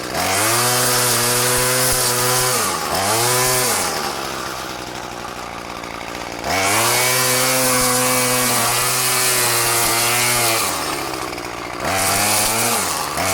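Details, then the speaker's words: Murray M2500 bent-shaft two-stroke weed trimmer, curbside find, cutting goldenrod: high-pitched buzz rising and falling cleanly between revs, pulling through the cut without bogging; running healthy. "she works great damn I'm impressed uh that's that's a perfectly good weed eater"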